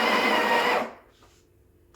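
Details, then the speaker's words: Breville Barista Express BES870, near new (used 20–30 times), built-in grinder run manually by holding the button: steady, high, gritty whir that cuts off cleanly; normal grinding. "so if you click it it will grind automatically but if you want it to ground manually for a specific amount of time you can just hold it"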